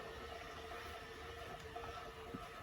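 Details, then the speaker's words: 1964 Westinghouse reel-to-reel cartridge tape recorder rewinding until the motor stops: steady, even motor whir with a faint constant tone, no catching, binding or grinding; rewinding normally. "We'll go until the motor stops. Okay, stop and play."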